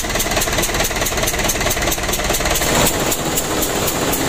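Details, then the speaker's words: Ragasa 120 PS diesel idling loudly, a sharp hissing puff chuffing with each firing over the clatter, like compression escaping rather than oil or fuel; leak found at injector (nozzle) number three, compression blowing past its seat. "ternyata Lur ada kebocoran pada nozzle nomor tiga Suaranya sangat crosshair ya"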